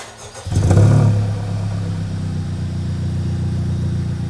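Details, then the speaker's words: Type R turbo with USR downpipe, stock front pipe, 5-inch Magnaflow muffler replacing resonators, 3-inch straight piping, no codes after 2000 miles: cold start, quick crank and catch, brief rev flare, then even steady fast idle; healthy. "I'm gonna show you guys what it sounds like with a cold start, and then I'm gonna let you guys let it warm up a little bit, show you guys what it sounds like when it's warm."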